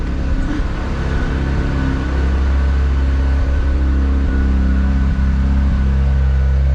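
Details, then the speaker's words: Mazda RX-7 FD rotary just after a start, warming up: a steady, deep, slightly choppy burble that holds even with no misses or surges, following a brief high idle; healthy idle, no unusual smoke. "because this is idling quite high for the for the personal brief moments where we have oil pressure so that should be all right"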